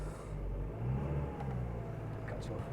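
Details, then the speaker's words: 2003 Nissan X-Trail T30 2.2 dCi with fault code P0120 that would not rev, after accelerator pedal power was bypassed from the cigarette lighter through a test light: the diesel climbs freely and holds steady revs. It now responds normally. "it goes right all the way into the pedal so it's revving up we've got to take our run"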